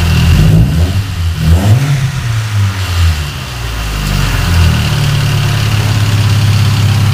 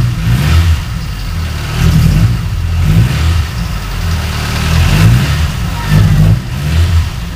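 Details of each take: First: Car that ran rough after head repair, after replacing the spark plug wires: engine blips through a couple of revs, then settles into an even idle with no misfire, spitting or popping; smoother, with more power. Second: Car running rough at idle after engine shop repair of a warped head, before replacing makeshift spark plug wires: uneven stumbling thumps with no steady rhythm, backfires a lot when driving; misfire from faulty spark plug wires.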